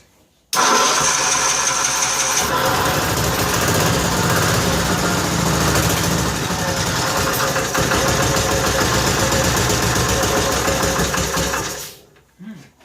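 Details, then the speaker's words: 1955 Cushman Truckster, cold start after sitting a couple of years: catches and runs rough, uneven about eleven seconds, then dies. Stalling; owner suspects air still in fuel system, bubbles seen, fuel still leaking slightly. "Do you see air coming out again? Air bubbles. So I think we're still getting air out of the system."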